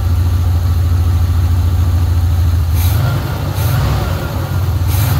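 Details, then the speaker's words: 1980 Pontiac Trans Am Turbo 301 V8 after sitting 18 years, idling about five minutes to clean out while warming toward thermostat opening: steady, even low rumble with no misses or knocks; normal idle. "this thing's just been sitting here idling away for like five minutes now just been letting it run clean itself out"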